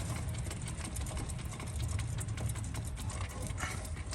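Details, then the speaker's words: Chevy/GMC 4x4 truck front wheel hub spun by hand gives a gritty, uneven low rumble with scattered clicks, restriction felt instead of smooth rotation: rough hub bearing, axle also broken up. "And even though the axle's all broke up and messed up, this is not riding smoothly along that bearing. I can feel restriction and it should be smooth."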